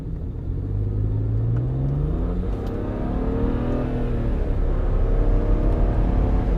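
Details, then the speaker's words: 2008 BMW E90 335i N54 twin-turbo after cooling system overhaul and two new wastegate solenoids, driven on highway: clean pull climbing through the gears, crisp shifts, strong boost, no misfire or stumble; normal acceleration. "Clean, shifted good, strong power, building plenty of boost."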